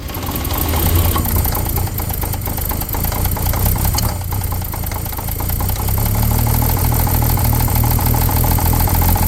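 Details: 1950 Chevrolet 3800 one-ton truck with Chevy 235 six, abandoned since 1977, first run after hand-cranking; rough uneven knock about three to four per second over low idle: worn rod bearing knock.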